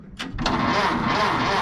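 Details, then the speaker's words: 1930 Ford Model A pickup, four-cylinder gasoline engine, push-button start, choke likely needed: a couple of slow, heavy cranking beats, then it catches and runs evenly; starts fine despite slow cranking. "I think it is just amazing how it can I think it's amazing how it can start by cranking that slow yeah that's amazing"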